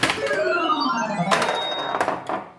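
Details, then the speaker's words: Bally Paragon pinball with a Bally AS-2518-50 sound board, after logic-probe diagnosis and a chip replaced in a new socket: clean falling electronic tones and chimes play at game start, no buzz or dropouts; the sound board works. "Wonder if those are the right sounds. I need to listen to one. Okay, we got sound."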